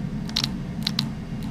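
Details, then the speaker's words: Pairs of light, sharp clicks over a steady low hum as a spare solenoid with 12 volts is grounded on and off, shown during dyno electronics work on a single-turbo RWD-converted flex-fuel Trailblazer SS; normal solenoid clicking. "so the solenoid has 12 volts so I'm gonna try and hit it with ground and see if the solenoid is selfs doing in pain"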